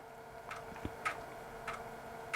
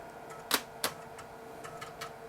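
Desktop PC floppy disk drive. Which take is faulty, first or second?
first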